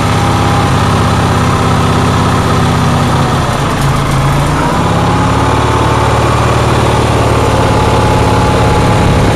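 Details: Onan generator engine in cold weather, with a loud, fast, steady drone and no dip or hunt, holding a raised speed well above normal idle; the cause of the high idle is unknown.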